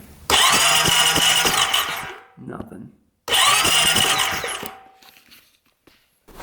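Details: 2008 Honda Rancher 420 ATV bought as a non-runner; the seller could not get spark. It cranks during a spark check after corroded connectors were found and 11.9 V was measured: two roughly 2-second bursts of whirring starter and steady chugging, no firing; cranks but no start.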